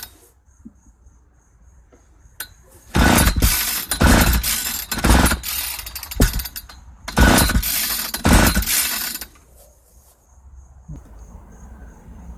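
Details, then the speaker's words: 1995 Ardisam 8900 auger, ignition on, full choke, no primer bulb. Two bursts of rope pulls cough but never catch: cranks but won't start. A fuel-system problem is suspected given its age; carb, lines, filter and tank service are planned. "It's not wanting to fire on its own. Let me see if I can encourage things. There seems to be a problem with the fuel system."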